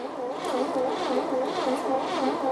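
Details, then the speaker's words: 1957 Chevy V8 off the road since 1979, all spark plugs removed: slow, wavering, labored starter drone spinning the engine to prime oil to the pushrods and rockers; distributor sparking, no oil pressure seen yet. "I'll just keep spinning it over until we get oil coming up through the push rods or the Rockers if any"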